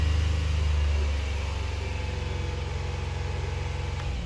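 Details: 2022 Hyundai Palisade, known-good car, revved to about 2,000 rpm while checking cam position data: a smooth rev settles back to an even hum with no knocks, rattles or whine; normal running.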